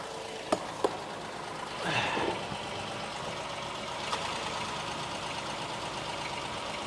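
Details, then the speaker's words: High-mileage Honda Pilot idling after downstream O2 sensor replacement, heard from underneath checking for exhaust leaks: quiet, even idle, no puffing or ticking; no leaks, runs really good. "Looks good, sounds good, no leaks. Runs good, runs really good."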